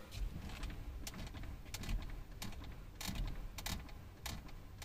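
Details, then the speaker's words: Car steering wheel turned with the key removed, microphone near steering column: sharp, irregular clicks as the steering lock pawl ratchets over its teeth; normal, no fault. "है तो आप सोच रहे होंगे 1 चट चट की आवाज आ रही है"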